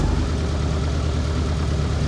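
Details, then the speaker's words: ZAZ Tavria/Slavuta engine that had been running rough, after cleaning the knock sensor connector with WD-40 and clearing its error codes: even, steady low idle with no ticking, knocking or misfire; running smoothly. "Siç mund ta shihni, gjithçka funksionon pa probleme."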